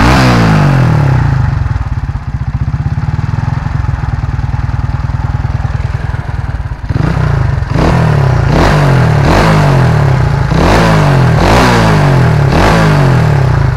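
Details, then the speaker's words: Honda Astrea with a home-rebuilt Karisma engine: new NPP piston (skirt trimmed), machined valves, new top-end gasket, valve seals and fresh oil. A steady idle, then quick, clean blips that rise and fall evenly with no knock or rattle. Healthy rebuilt engine. "Kita langsung tes aja ke suaranya. Pada penasaran kan suaranya? Kita langsung gas."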